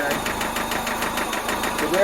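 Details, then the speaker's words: Toyota MR2 5S-FE engine rod knock: hard, sharp knocking about eight times a second, loud and following rpm, from a failed rod bearing. "if any of you have ever heard of rodnock or want to know what rodnock sounds like this is exactly what it sounds like uh follows the rpm it's loud"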